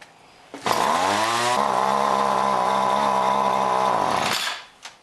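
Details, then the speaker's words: John Deere BC1600 two-stroke trimmer (Zama H46 carb), sat for years, set all the way down for cold start on fresh mix: revs up, sags and hesitates mid-throttle, settles flat; bogs, won't reach full revs, owner suspects goop in carb. "So all the way down for a cold start. Doesn't seem to want to hit full revs."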